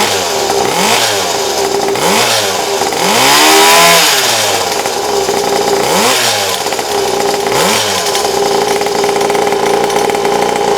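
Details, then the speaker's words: 50cc Temu dirt bike with its blown stock motor swapped for a built high-compression engine: a deep, chunky single-cylinder bark that climbs cleanly with each throttle blip and settles back. It runs strong and healthy. "this motor actually sounds like a dirt bike and it's like chomping and you guys can hear it in the background"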